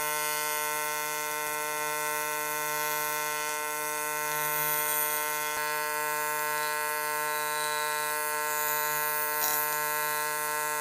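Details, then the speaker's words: YesWelder CT2050 welding aluminum with AC TIG at 150 Hz; 100 Hz also sounded good. Steady, even, high-pitched buzz with no crackle or sputter. Normal AC TIG arc buzz. "We still running that 150 hertz. You can hear that really high-pitched buzzing. 100 sounded pretty good."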